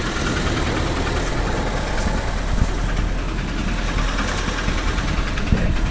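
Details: Volvo "Miss Huff", jump-started cold: a loud, heavy idle with a sloppy uneven clatter and scattered knocks over the rumble. Very noisy, and the knock cause is unconfirmed.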